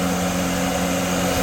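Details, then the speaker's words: An old Pakistani exhaust fan that sat about 20 years starts instantly with a steady motor hum and a couple of fixed tones; the earlier bearing squeal fades as it runs. "Just over to the switch and instant start up. Still very powerful. It was screaming a little bit, but now it's uh"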